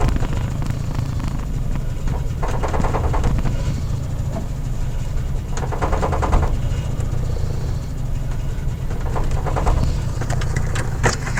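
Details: Honda F22A1 engine with a deep, low rumble and uneven surges through idle and light revs; runs rough, cause not yet found.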